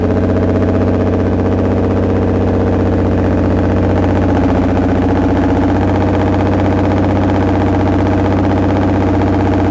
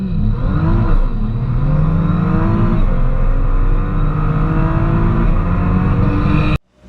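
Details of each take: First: 2010 Nissan GTR (R35) started after about 7 months stored: lumpy running with irregular stumbles about four per second over a steady drone, black smoke and cluster errors; misfire, VCP cam timing not advancing. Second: 2010 Nissan GTR (R35) in earlier healthy driving clips: deep, strong pull with pitch climbing cleanly through the revs, no knocks or rattles; normal engine under hard acceleration.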